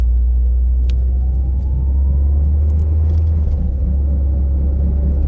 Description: "Thumping" from about 0 to 30 MPH then "Howling" from 30 to 50 MPH. Vehicle is a 2009 Mazda 3 (FWD).